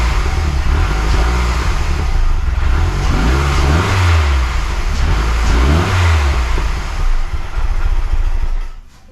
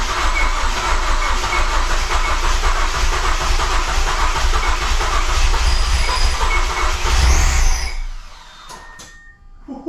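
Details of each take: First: Mazdaspeed6 engine, freshly rebuilt with honed cylinders, just after first start: a deep hum with two clean throttle blips that rise and fall smoothly before shutdown. The rebuild revs healthy. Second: Mazdaspeed6 freshly rebuilt engine, first start attempt after aligning the crank position sensor between the 20th and 21st teeth of the harmonic balancer. Starter turns over with a steady chug, about four beats a second, but never fires; cranks, no start.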